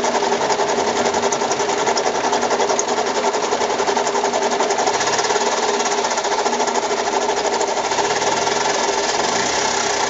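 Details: Mazda 6 engine at idle, oil level fine, noise started this morning: fast, even, light ticking clatter over a thin idle with no deep tone; knocking rattle of unknown cause.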